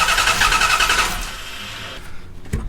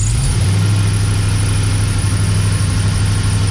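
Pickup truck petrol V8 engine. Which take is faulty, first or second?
second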